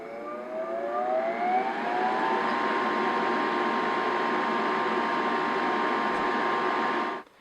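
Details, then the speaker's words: Furnace after replacing exhaust (draft inducer) motor with bad bearing: motor whirs up with rising whine to steady even hum, no grinding or rattle; normal inducer run. "once the furnace turns on you will hear the exhaust motor spin indicating everything is working correctly"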